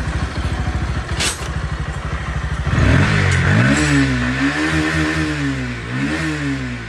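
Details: Bajaj Pulsar NS160 BS6 after repair of detached throttle body hose (air leak, popping, no-start), bodywork refitted for trial: brief starter chatter, then the single catches cleanly and blips smoothly; normal start and running.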